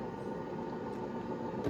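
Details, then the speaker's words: 1984 IBM 5160 XT, about 40 years old, at a floppy seek/hard drive check: steady low rumble with faint hum from the 120-volt power supply fan's worn bearings; otherwise sounds healthy. "at this point it sounds healthy the rumbling you hear is a power supply fan"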